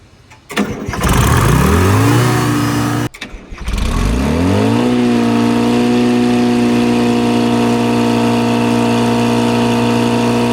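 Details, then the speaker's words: Old Grove crane diesel, unused for over 10 years, cranks, dies, then catches and climbs to a high steady drone, running wide open. It was shut down by the bucket method. Owner unsure if the lever is the engine stop or the throttle. "Woo! Well, it runs. It is kind of wide open. Had to use the old bucket shutdown method."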